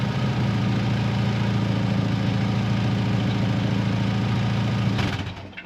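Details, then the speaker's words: Ford Fiesta MK1 with Zetec engine, after converting the fuel tank to injection, cut-up exhaust still being remade: a loud, raw, pulsing low rumble at steady idle that then dies away; exhaust leak from the open, cut exhaust. "Once the engine's running, well, obviously I can't hear it because over the engine, but that is deathly silent compared to what it was, although the exhaust makes more noise than it should do."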